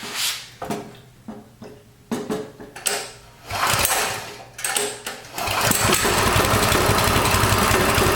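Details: Coleman CT200U mini bike engine after fitting a new 3/4" GX200 crankshaft, fuel on, on choke, test start: several pull attempts, then catches into a fast even single-cylinder putter and runs steadily; normal running.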